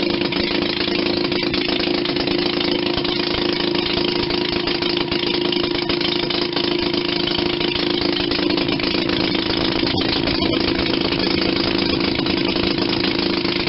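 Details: 1940 Maytag model 72 twin-cylinder, air-cooled gas engine from a washing machine, rebuilt with new rings and gaskets after being tight: steady, even putter of about four beats a second, never stumbling or missing. Normal idle.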